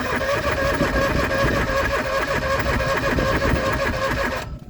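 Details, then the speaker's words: John Deere 445 garden tractor, parked about 8 years, cranking without fuel to build oil pressure: even rhythmic cranking, no knock or grind, oil light goes out while cranking. Normal healthy cranking. "Oh yeah, light goes out and then it comes back on. Lights out. Yep, comes back on when we stop cranking."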